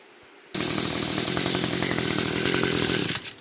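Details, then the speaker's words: Echo 225 two-stroke after a carburetor adjustment and replacement: the engine is flooded, so it is cranked with the throttle held open. It howls flat out at steady high revs, slightly ragged, burning off the excess fuel until it clears. "this one is flooded so I'm going to hold that throttle open and then Crank It Up and let it let it burn out that excess"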